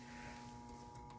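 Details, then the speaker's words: Schumacher charger charging a very dead Optima Yellow Top battery (about 5.5 V), switched down from the 50 amp setting (about 17 amps) to 10 amps: quiet, steady low hum with faint higher buzz, humming less, warming up; normal. "to the 10. And you can hear it humming less. And it started to put out some heat."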